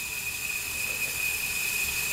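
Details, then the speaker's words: Wheel Horse B165 tractor engine, neglected for decades, leak-down test, engine stopped: loud steady hiss of air out the breather, slight at intake, none at exhaust; worn piston rings leaking into crankcase. "Nothing coming through the exhaust, which only leaves one thing, and it's the worst of the possible causes for this: the piston rings. We must be getting a lot of air into the crankcase."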